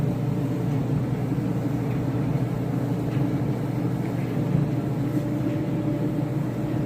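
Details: Whirlpool dryer after replacing the four drum roller bearings and belt, test run before final panels: even steady hum and rumble from turning drum, no thumping, squeal or scraping; sounds healthy.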